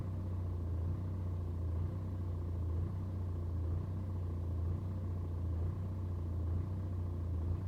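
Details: BMW 120d N47 diesel at cold idle: low rumble swells and dips about once a second for over 2 minutes, hunting and rough; no issue on a warm restart, no helpful scanner codes.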